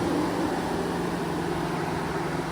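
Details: 2014 GMC Sierra with the engine off and the radiator fans still running, a steady even roar with no engine beat. Stated cause is a faulty coolant temperature sensor and a bad thermostat: cooling fans running with engine off.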